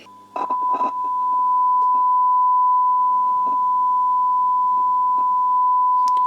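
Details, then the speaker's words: Swedish Amerikansk Ljudteknik GF 10 valve guitar amp, 1960s–70s, on variac at 240 V with 1 kHz sine input: clean steady tone with scattered scratchy crackles; fault source unknown, a swelling capacitor suspected. "i'm fitting it with a one kilohertz sign signal sine wave signal yeah and it's making noise there's some noise some scratch noise coming from somewhere"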